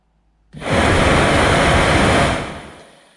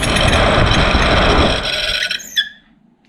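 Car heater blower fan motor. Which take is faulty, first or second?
second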